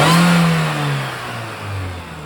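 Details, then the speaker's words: Supercharged Mini Cooper R53 after M7 Speed intake install, with existing cat rattle and supercharger whine noted: sharp throttle blip and a clean, smooth fall back to idle with no stumble or hesitation, revving freely. "That sounds really good."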